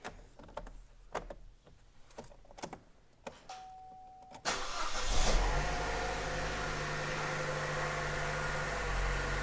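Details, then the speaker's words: Chevy Cruze 1.4 turbo, first start after head gasket and piston ring replacement, no coolant added, oil primed by cranking with coil unplugged: clicks, catches promptly, smooth steady idle, no knocking, some smoke, oil pressure good. Normal idle. "that sounds pretty good check the oil pressure light and we've got oil pressure"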